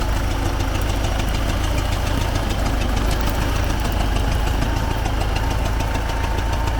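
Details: T-40AM tractor diesel after driving test, all gears working: loud rough idle with steady rhythmic puffing back through the air cleaner over engine clatter; intake chuffing.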